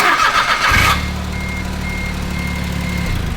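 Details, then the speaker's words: LS-powered race car with a manual DCT-style transmission, fitted with a new battery after it previously cranked so sluggishly the motor seemed locked: it gives a brisk crank of under a second, then catches and holds a steady, even idle. This is a healthy start. "Oh yeah, put a new battery. It wouldn't crank. Here, crank it up."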